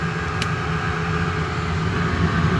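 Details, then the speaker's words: Restored Eberspächer BN4 gasoline heater from a VW Thing, just switched off: fuel pump stopped, steady fan whirr with faint constant tone blowing air to cool the combustion can and quartz rod for 40-60 seconds; normal shutdown. "Pump is not pumping anymore. This should run for, I don't know, 40 to 60 seconds. As it's just blowing air across, the fan's just blowing air across it, cooling down the container, the can, and that will cool down the quartz rod in there."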